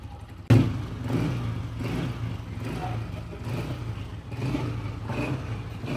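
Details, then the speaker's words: Honda CG 125 old-model motorcycle after rocker plate replacement, tappet readjustment and tappet cover bolts tightened (oil pump fine): single cylinder idles and revs with only light background clatter, no sharp ticking; engine noise much improved, normal running. "जी तो friends आपने इस engine की आवाज अब check की पहले भी आपने चेक की इंजन का साउंड बहुत ही हद तक बेहतर हो चुका है"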